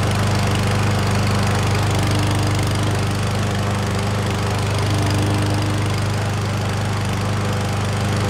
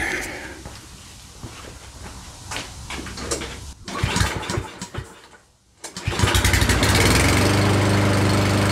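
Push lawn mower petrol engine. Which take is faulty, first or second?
second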